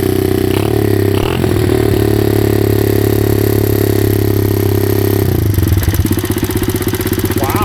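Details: SSR110 pit bike (about 107–110cc single cylinder) with stripped crankshaft clutch gears replaced: an uneven, lumpy idle with loose, irregular beats and a shaky blip, no power, running a little rich. Exhaust valve found at least 1/8 inch out of lash.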